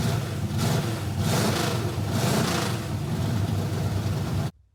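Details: Kyle Petty V8 race car started in the shop after the distributor hot-wire electrical fault was fixed, with new chassis headers and exhaust; fires and settles into a lumpy, loud idle with blips before shutoff. Some cranking voltage drop remains. Normal running.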